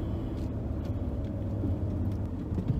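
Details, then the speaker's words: Naturally aspirated, high-compression Barra engine converted to turbo, driven hard after repairs (issues not turbo related): deep, steady exhaust rumble pulls evenly under boost, no stumbles, popping or misfire; healthy acceleration. "right oh it's go time yes we're back we're back in business baby harder feels good that feels so good open is there"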